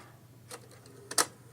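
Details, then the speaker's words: Silver SR5000L cassette deck after fitting a new transport motor, on batteries with the cassette door off: two crisp mechanical clicks as play latches over a faint steady motor hum; play engages normally and works. "Yes, she will. Look at that. completely working."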